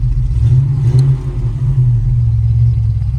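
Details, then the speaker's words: 1973 Chevrolet K5 Blazer V8 after rewiring the distributor 12 V supply as a single keyed wire off the fuse block; low, steady rumble running evenly without stumbles or misses, now holding on the key and shutting off correctly. "so that now is correct so now we can turn the key off shuts the car off and now we have power so got that problem fixed"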